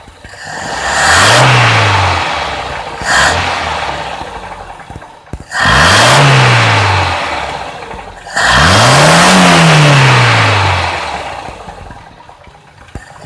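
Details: Toyota Kijang Grand, 5K 1500cc carbureted engine, 90/100 jets, solenoid unwired: throttle blips sag briefly, revs dip before climbing from low to high rpm, fuel supply lagging; carburetor hesitation on acceleration.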